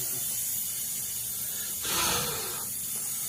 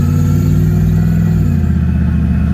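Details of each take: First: 1986 Chevrolet Camaro IROC (3rd gen, off road 15 years) during vacuum-system smoke test: sharp airy hiss over faint idle swelling briefly; air escaping from a hose hooked up at the back, vacuum hose leak. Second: 1986 Chevrolet Camaro IROC (3rd gen) test drive: deep, even engine note pulls cleanly and drops smoothly in pitch on gear change, no stumble or misfire, flat spot gone, no check engine light; normal running under acceleration.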